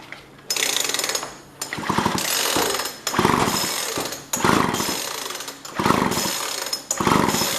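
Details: Jonsord 2036 Turbo chainsaw, plug dry but spark good: repeated pull-cord bursts about once a second and the engine never fires or catches; no start because no fuel is reaching it, as the fuel line was disconnected.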